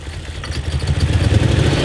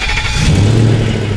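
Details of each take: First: 2000 BMW 740i (E38) revving with a lumpy, uneven pulse about three beats a second, running on half the engine; cause found: engine computer (DME) connector unplugged; misfire. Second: 2000 BMW 740i E38, lifted and being prepped, after the DME was plugged in. The engine catches quickly with a short clean rev and settles smoothly, starting normally.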